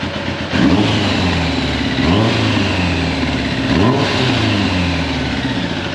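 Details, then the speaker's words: Kawasaki ZX11/ZZR1100 Ninja after replacing all spark plugs (number 3 plug looked poor) and refitting the airbox: starts fine and revs with clean throttle blips, crisp pickup, smooth return to idle, no misfire; seems to warm up faster; normal revving. "I'll finish up here in a minute, but it crunk up fine. Sounds like it's warming up faster, so I'm happy with it."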